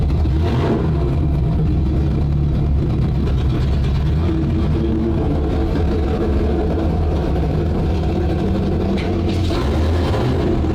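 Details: Starboard 350 Chev small block V8 in a twin-engine tank, port engine shut off: deep, steady but lumpy, uneven rumble; rougher than the throaty port engine, throttle synchronization suspected out a bit, judged good enough to run.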